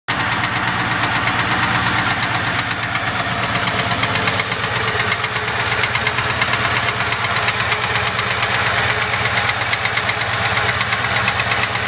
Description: Knocking noise any suggestions on what it could be?